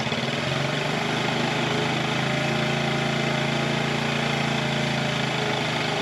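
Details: 1984 Honda TRX70 quad after years sitting in a barn, first start on choke, running on chainsaw gas: small single-cylinder putters at a steady, even idle with no misfires or knocks; runs normally, though the owner thinks the mixture smells a little rich.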